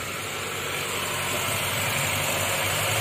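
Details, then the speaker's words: 2012 Honda Brio with engine light on and rpm holding, at idle: lumpy, stumbling misfire that stayed in the same cylinder after coils and plugs were swapped; fuel injector being swapped to cylinder 2 to test. "Neng Kondisinya masih pincang ya kita udah rabing koil koil Kita pindah kesini ternyata penyakitnya masih tetap di sini"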